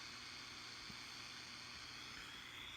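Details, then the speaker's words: Zenith M660 shortwave tube radio on band SW3, with its trimmers being adjusted after some tubes were changed; only a faint, even hiss with no station, tone or voice; reception is very weak, worse than before the repair. "This one's really quiet. There's the trimmers for SW3, right there. Can't hear a thing. Not a thing."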